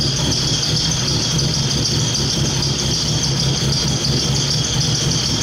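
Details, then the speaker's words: BMW E30 with a K24 swap on stock cams, running very rich (lambda 0.7): steady but lumpy, rattly idle over a constant hiss. Rough idle, cause suspected, not confirmed. "so you guys can hopefully hear just still the rough idle I'm hoping that this wideband sensor is able to actually fix that and then car will be running a little bit better"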